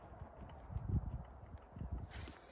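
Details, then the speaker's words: Hurley Mini Swell e-bike, about 3 years old and 700 miles: dull, uneven clunks in bursts as the front end is rocked; worn bushings inside the undamped suspension fork let the lower fork section rock. "The bushings inside the fork are actually wearing, so this lower section of the fork is starting to rock."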